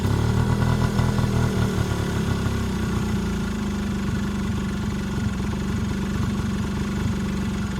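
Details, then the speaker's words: Yamaha Razz two-stroke scooter (Jog engine) after sitting 11 years, started on the second kick and idles on its own unevenly with a loping beat; fuel turned off as the bowl overfilled and leaked; suspected carburetor issue. "just started up on the second kick I just had to turn the fuel back off I think we just have a carburetor issue"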